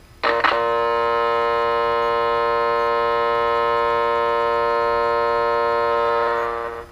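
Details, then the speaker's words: Vintage electrodynamic loudspeaker with humbucking coil leads reversed, so it is in phase with the voice coil instead of anti-phase. Loud steady mains hum with buzzy overtones and no cancellation; correct wiring gave 15–18 dB suppression. "a demonstration here with the polarity being incorrect in n phase versus out of phase thus we're not getting the noise cancellation"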